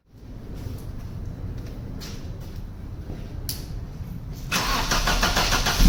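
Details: Vauxhall Cavalier CD 2.0 16v, high mileage, starting after fixing a fuel leak from a rotted fuel regulator damper; short crank, then it catches and settles into an even idle with a brief rev, clean start.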